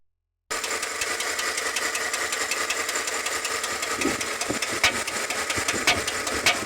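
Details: Chevrolet Tahoe engine at steady idle with light, rapid ticking and sharper clicks toward the end, typical of noisy valve lifters.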